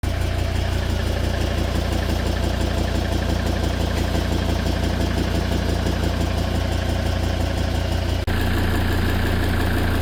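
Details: Volvo V70 D5 120 kW diesel idling with a steady light ticking, about three per second, from failed hydraulic lifters; nine found damaged and one completely out, fixed by replacing them.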